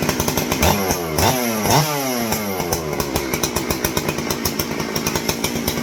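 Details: Stihl 064 chainsaw, just reassembled with the proper exhaust bolt fitted: fires up and settles into a fast, crisp two-stroke buzz with no popping back. Runs cleanly.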